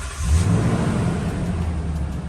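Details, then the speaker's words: 2012 Toyota Tundra V8 idling right after new ignition coils and spark plugs were fitted and the check-engine light cleared: starts quickly and settles into a steady, even low rumble with no stumble or skip. No misfire, normal healthy idle. "Right, so everything should be good now, guys."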